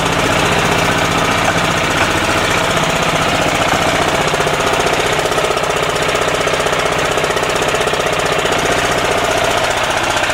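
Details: 10hp single-cylinder LaunTop Yanmar-clone diesel about a minute after a cold start at about -4C. Loud, fast, even clatter at steady speed with no misses or knocks. A normal cold warm-up, still smoking, and more so at low rpm.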